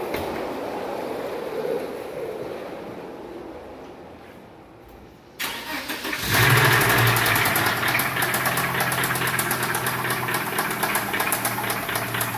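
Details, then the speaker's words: 1996 Volvo 850 engine that broke down, clunking turned to squealing: quiet lead-in, then catches and settles into a fast idle with a thin high squeal over it on start; cause not identified. "so that now the engine makes a squealing high-pitched sound when you start it"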